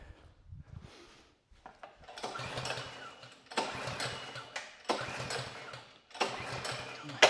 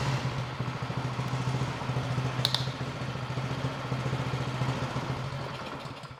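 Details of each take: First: Bolens two-stage snow blower, Powermore 165-WU 179cc engine, after draining bad gas from the carb bowl, on choke and primed: several recoil pulls that spin and die without catching; won't start, spark plug checked next. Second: Bolens 22-inch two-stage snow blower, Powermore 165-WU 179cc OHV engine, a no-start fixed by cleaning the carburetor, at half throttle. An even, fast putter that holds speed on its own, then fades as the engine winds down.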